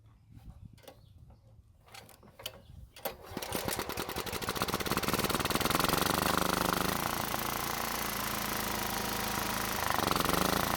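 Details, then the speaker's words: Toro walk-behind mower that wouldn't start and backfired through the carb, primed with fuel line disconnected and tank draining: a few pulls, then a quick even single-cylinder putter with no misses or knocks, running on residual fuel in the bowl. "I was kind of surprised to see that it was still running after I stopped putting fuel in it. Remember, the fuel line wasn't even connected to the carb, and there's no fuel in the tank because we're still draining it."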